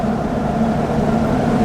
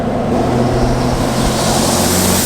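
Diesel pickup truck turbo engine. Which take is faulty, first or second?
second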